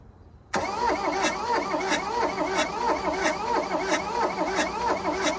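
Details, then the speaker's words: 1982 VW Rabbit diesel Caddy, sat 20 years in a junkyard: the starter cranks with steady compression pulses, about 1.5 per second, but the engine never catches. It cranks, no start; a jumped timing belt is suspected to have bent the valves. "i don't know if i can say it's trying to start obviously it was parked for a reason probably jump time bent the valves"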